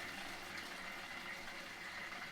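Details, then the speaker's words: QETTLE boiling water tap right after undersink filter cartridge change: steady hissing, gurgling water rush with a sputtery edge from the spout as trapped air clears from the system; normal after a filter change. "bit of air trapped in the system."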